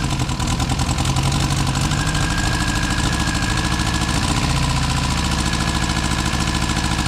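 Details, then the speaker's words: Car back running after about six months off the road for major work, choke on and smoking less: steady fast idle with an occasional stumble, seemingly firing on three at times. Owner suspects rings and valves still bedding in. "there's not even that much smoke I think it's it sounds like it's firing on three occasionally for maybe that's just the Rings and the valves coming back to L"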